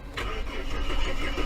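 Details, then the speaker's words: Ford Fairmont AU imported from New Zealand to the UK, first start after getting power back. Brief cranking builds quickly into a firm catch and rising engine note; starts readily and runs. "come on Betty yes Betty lives"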